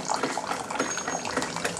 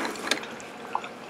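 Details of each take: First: Keurig 2.0, about two years old, after fixing a bottom leak by replacing the brittle, disintegrated high-pressure relief valve with an automotive T-fitting; steady stream into the cup, no spitting or dripping, brewing 16 oz normally. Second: Keurig 2.0, about two years old, with covers off: two soft isolated drips in a quiet room, a slow leak from the bottom traced to a brittle, disintegrated high pressure relief valve.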